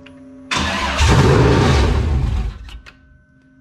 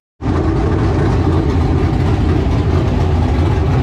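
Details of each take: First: LQ9 V8 with Texas Speed Magic Stick 4 cam on run stand, Holley Terminator X handheld base tune: catches, runs rough about two seconds, sags and dies, won't hold idle. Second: LQ9 V8 with Texas Speed MS4 cam on run stand, Holley Terminator X base tune, now with single-chamber Flowmaster mufflers instead of open headers: deep even steady idle, no ticks, knocks or misfires.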